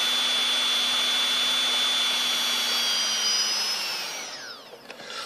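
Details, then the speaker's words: Turnigy Multistar 2209 1200KV upgrade motors on a Blade 350 QX at full throttle: smooth, even, quiet high whine winding down cleanly with no rattle or grind; much quieter than stock motors. "wind generated by the the cooling ports on the top these things are super quiet that's full follow"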